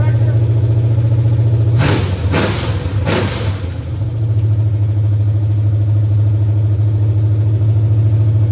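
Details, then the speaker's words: 1989 Mustang GT 5.0, carbureted, with a high-mileage stock shortblock, GT40 heads, an unnamed cam and longtubes, fired up for the first time in a while. It gives a deep even V8 burble and three crisp throttle blips with no knocks or misses: healthy first start and rev. "Man, this sounds pretty snappy too. All right, man. Woo! Man, fired right up too."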